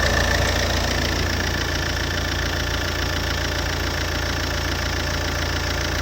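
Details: Alfa Romeo 147 JTD 140 diesel, cold engine: steady idle with a regular, fairly quick knock riding over the diesel clatter; cold engine knock, cause unclear.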